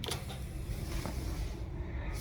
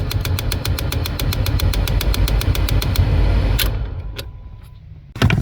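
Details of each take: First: 2011 Kia Sorento XM 2.4L, ignition on after replacing the jammed A/C servo (air flap) motor under the dash: quiet cabin hum, no ticking. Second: 2011 Kia Sorento XM 2.4L 4-cyl automatic, key on: rapid even clicking about six per second over low hum from the A/C servo (blend door actuator) motor under the dash, jammed; fixed by replacing the motor.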